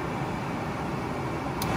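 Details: 1972 Mustang R-code heater blower after installing heater motor and new switch, heater box laid in before dash install: steady even airy rush on medium setting, no ticking, scraping or wobble; blower works.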